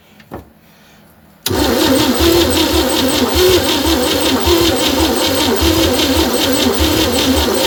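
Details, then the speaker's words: 1960 Chevy C10 235 six after sitting 40 years, with gas/ether tried: starter spins slowly about three turns a second, trying to fire but never runs; owner suspects low compression, rings need reseating, weak battery; crank no start. "Come back, see if we can get her to do something with it spinning over. It's trying to fire. We just got to get the compression built up on it, and I"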